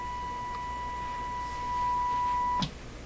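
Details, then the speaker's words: Nordmende Caruso console radio after FM alignment, fed a 1 kHz test tone from a signal generator after a sticky switch was freed: pure, steady tone with no rasp or buzz; audio stage reproduces it cleanly. "so i think we should be hearing a thousand hertz tone coming out of this radio right now there's nothing coming out [Music] switch was a little sticky there okay to my ear that sounds really quite fine"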